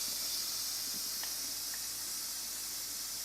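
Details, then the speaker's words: Pressure cooker making tomato sauce: a steady loud hiss of steam with faint sputters as the valve vents hard. Heat is too high and needs turning down to medium-low for a gentle trickle of steam. "start doing that little hissing sound and you can see here now we're starting to seep out of that valve there so that means that we need to sort of decrease the heat"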